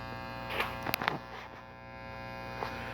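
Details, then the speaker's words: Late-1970s Fender Pro Reverb (master-volume version), before teardown: constant mains hum broken by a short cluster of scratchy crackles as the master volume pot turns; dirty pot. "now this is a master volume version that switch is a little dirty master volume putts a bit dirty"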